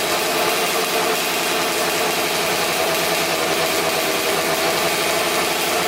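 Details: 2000 Suzuki RM250 two-stroke (249cc), unrun two years, fresh premix fuel, cleaned carb, good compression: harsh, very loud crackling idle with a sharp raspy edge; big split in the expansion chamber leaking exhaust, needs welding.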